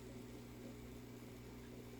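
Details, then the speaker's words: Powerhead aquarium filter, not old: quiet steady motor hum with faint rumble from the impeller rubbing its housing, motor wear and tear. "so this filter is making a little bit of a rumble it's not an old filter but it does make noise"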